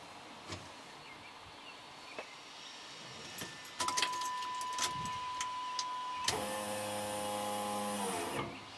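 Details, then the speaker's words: Third-gen Pontiac Firebird with a 5.3 LS swap, key-on after fitting a new stainless sending unit on the factory plug with a new primary wire: steady electric whir for about two seconds, then stops; fuel pump primes normally. "There we go. She's working. Turn on the key and the pump comes on."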